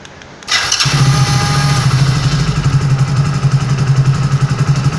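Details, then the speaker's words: Hero HF Deluxe BS6 i3s single-cylinder bike started by pressing the newly fitted alarm remote button twice: quick crank, catches at once and settles into a steady even low idle, about four beats a second; normal start. "अब यह जो button है यह वाला इससे दो बार दबाने पर इसको स्टार्ट होती है।"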